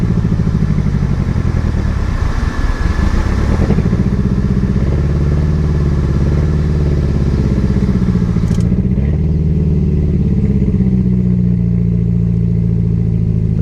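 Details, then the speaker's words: Barn-find Mercedes 190E after years off the road, freshly restarted: loud, deep, raspy exhaust that booms and rattles as revs rise; leak test shows it is only blowing through the back. "It is only causing issues and blowing through Well, not causing issues. It's only blowing through the back."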